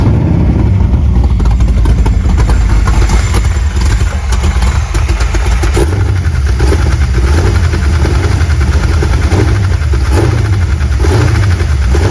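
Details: Squarebody truck V8, first start after two weeks sitting and minor repairs incl. transmission fluid: deep idle with slightly uneven pulsing beat, might die; abnormal running, cause not yet found.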